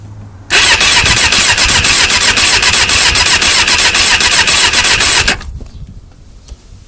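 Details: Suzuki Katana cranking: starter spins fast and even, nearly four beats a second, for five seconds with no firing; fuel filter half full, cause turned out to be worn spark plugs, fixed by replacing them.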